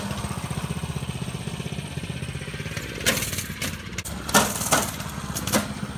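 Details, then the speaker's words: Go-kart small single-cylinder engine putting rapidly with an uneven rattle and occasional harsh clatter; the clutch moves a little and makes a lot of noise, a worn centrifugal clutch. "But if you watch real quick, it moves a little bit. It makes a lot of noise. So if you hear that noise, that's what that is."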